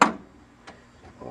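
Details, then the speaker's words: 1993 Williams Star Trek: The Next Generation pinball (WPC), drop target coil under test with a circuit breaker in place of a blown fuse and the interlock switch held: one sharp, solid thunk, then quiet; the coil fires normally. "i'm pushing the interlock switch for the power and i can hear the drop target down now work"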